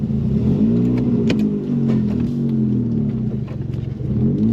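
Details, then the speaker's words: Owner's former first car at idle and blips, exhaust system missing (stolen or removed), idles high then tends to die at low idle: raw loud raspy unmuffled note rising and falling with throttle; loud exhaust. "so the exhaust is a little loud because there is none"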